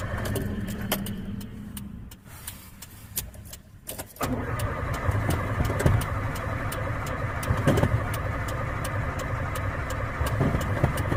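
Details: Carbureted 1994 Honda Civic, cold morning start: cranking falters, then the engine catches into an uneven, surging run that stalls repeatedly and needs a lot of pedal pumping and revving to stay running; hard starting and stalling.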